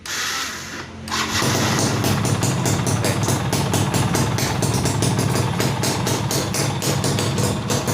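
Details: Yamaha F1ZR two-stroke starting after conversion to fullwave charging with a Megapro/Tiger regulator: a short crank catches at once and settles into an even, crisp idle with steady pulsing; starts and runs normally.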